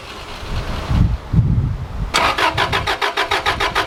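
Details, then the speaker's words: Subaru RS Liberty AWD turbo manual, parked for 10 years with dirt and mice nests: starter cranks steadily about two turns per second but the engine won't fire; owner thinks it may be starting to unblock the injectors, unsure. "it sounds like it's starting to unblock the injectors or something I don't know"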